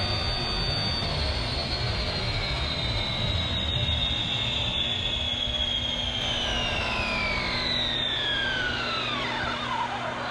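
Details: Redcat Kaiju EXT RC truck on 3S, about 36 mph: loud high whine over road hiss, falling as it passes and slows; pinion meshed too tight, owner thinks motor clamp pushes it harder and costs speed.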